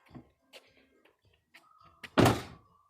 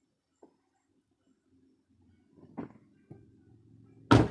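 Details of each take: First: 2006 Buick Rendezvous left rear door, recorded outside low by the door: door shuts, then a thin tinny ringing buzz lingers briefly, loose cladding retainer clips rattling behind the panel; not noticeable from inside. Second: 2006 Buick Rendezvous left rear door after fixing its rattle by realigning the panel clips with their holes: one solid, clean thud as the door shuts, with no tinny buzz or rattle after it.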